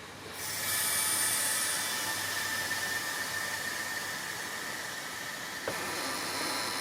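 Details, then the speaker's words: Vevor 11000 lb (5-ton) air bag jack lifting a tractor corner with loader frame: strong steady hiss of air filling the bag, even and unbroken, as the wheel lifts off the ground easily; jack works normally. "that's lifting that easily the compressors just kicked in I'll turn the Taps off now look at that wheel off the ground"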